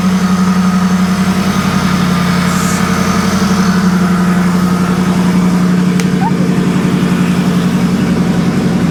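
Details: Modified salvage Jaguar XFR 5.0 supercharged V8, ported blower, first startup after about a year apart, factory tune, not yet driven: smooth even idle with a steady low pulse, no knocks, misses or ticks; healthy.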